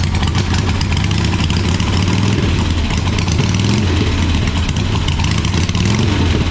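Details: 1985 Harley-Davidson Sportster Ironhead V-twin, sat outside a long time, first run: lumpy uneven beat settling toward a steady idle with a few small surges; normal idle, sounds like a good motor though the oil filter was destroyed.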